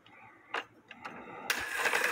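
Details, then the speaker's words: Circa-1880 Alexander Fleig cuckoo clock, movement back in the case, on the hour: light ticks, then one sharp hard click and rustling as the stiff, binding hands free up. "it gets in a bind the hands get stiff but then it makes this hard clicking noise one big click"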